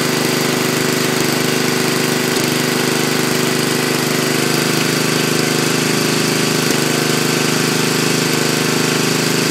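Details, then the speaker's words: Racing tractor engine started running almost on pure Seafoam (added to crankcase, oil and intake), brakes on: loud, steady engine chatter at constant speed with no misses or stumbles; runs okay. "So, runs okay. Try and take it for a quick ride."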